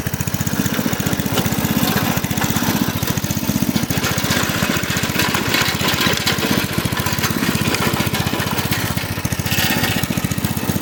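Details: Craftsman rototiller with a Briggs & Stratton 5.5hp I/C engine, left outside in the garden with water and rust in the fuel tank; after the tank was rinsed and refueled, a quick, steady putt-putt at constant speed with no surging or stumbling: normal running.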